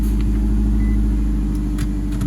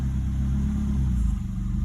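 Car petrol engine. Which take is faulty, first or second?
first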